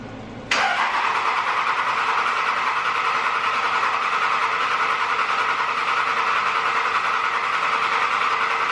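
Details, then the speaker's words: 2005 Dodge Ram 3rd-gen Cummins diesel (quad cab 4x4 dually) after injector replacement, before AirDog install: fires almost instantly and settles into an even clattery idle; earlier injector hang and small misfire gone; normal start and idle. "Alright guys, as you can tell, truck definitely does run pretty good, a lot better than it was."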